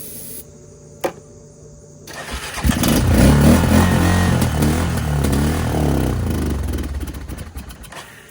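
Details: 20-year-old ATV after priming, choke and battery charger: a single click, then it catches and settles into a steady, even idle; fuel reaching carburettor, runs properly.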